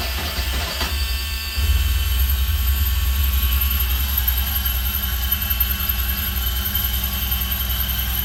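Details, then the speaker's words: 1974 Alfa Romeo Spider Veloce, 10K original miles, stored 30 years, fuel pump just repaired, unstarted for a couple of weeks: short crank, fires near two seconds, then steady even idle while warming up; normal start and idle. "Not bad. It hasn't started for a couple of weeks. Kind of started right up for the most part. Gonna let it warm up for a while."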